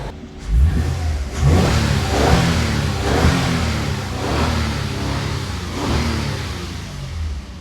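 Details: 2022 Toyota Avalon after fixing multiple-cylinder misfire (check engine and traction lights): clean rev swells rising and falling about once a second with no stumble or miss; engine now runs smooth.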